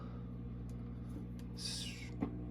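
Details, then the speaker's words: Ampeg V4B tube bass amp warmed up: steady low 60-cycle mains hum with faint sporadic frying-egg crackles and pops, seemingly worse at the volume 2 pot. "All right, we uh warmed up the amp and turned it on and it definitely has a hum as you can hear. And it has a little bit of that frying egg sound as"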